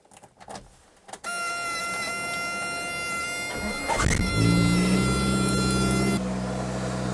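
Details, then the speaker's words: Suzuki Samurai with fuel-injected 1.6, sitting several days at −10 °C: barely turns over, fires right up and settles into a smooth, fast, even high idle while warming; healthy cold start. "it barely turned over fired right up nice high idle it's warming up that's awesome"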